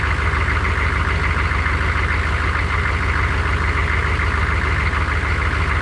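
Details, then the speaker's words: 6.5 turbo diesel, 1994–1995, first start after oil pipe/oil cooler leak left engine without oil a while: steady idle clatter with an even knock about three per second, seemingly upper engine; source unconfirmed, no leaks. "I actually hear a knock that I don't like. It sounds like it's up in the engine and I doubt it."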